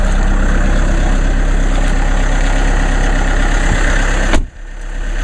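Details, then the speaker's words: Diesel car cold start in sleet after sitting since Saturday, one glow plug cycle: started with no problem, deep even clatter at a steady rhythm with no stumbles or misses; normal cold idle. "it's been sitting since saturday here we go and started up in no problem"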